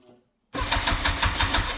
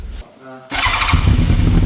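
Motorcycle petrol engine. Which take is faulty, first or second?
first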